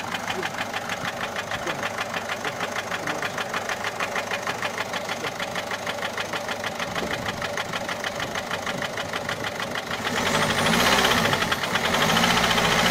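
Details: Peugeot 407 1.6 HDi 90 diesel at steady idle: light, fairly regular tick, about three a second. Noise began after a road drive, with slight white smoke from the rear. Mechanic suspects tappets (poussoirs) or rocker arms, unconfirmed.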